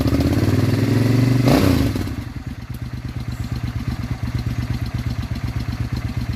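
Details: Suzuki Intruder VS800 V-twin after spark plug replacement: revs briefly, then settles into a steady, even idle with no popping, backfiring or misfiring, much smoother than before.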